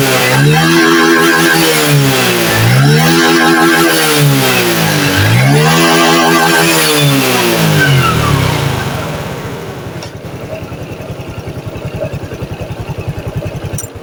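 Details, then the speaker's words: Honda Dream 110i after replacing a dead fuel pump, pressure 3 bar: small single revs cleanly up and down three times, then settles to a steady, even idle; starts and revs normally. "ตอนนี้เปลี่ยนของใหม่แล้วนะครับก็สตาร์ทได้เร่งได้ปกตินะครับ"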